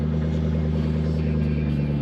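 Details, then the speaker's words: 2002 Lexus SC400 at a dealer-only auto auction, fitted with boost and oil pressure gauges, idling: steady, even low burble with no knocks, ticks or hunting; a healthy normal idle. "Bro, this thing sounds way better than I thought it would."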